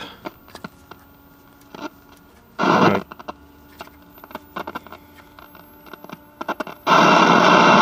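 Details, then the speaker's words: Early-1960s General Electric M5 black-and-white portable TV at startup, 6DQ6 horizontal output; hissing rushes cutting in and out with crackles and pops over faint tone, not legitimate static; cause unknown. "That doesn't appear to be legitimate static. That's something else going on."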